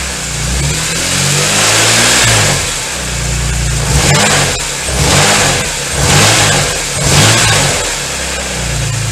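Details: BMW S54 petrol six revved up and down, harsh metallic rattle over the engine note only at about 2000 rpm; engine oil is low and owner suspects it may be the cause, unconfirmed.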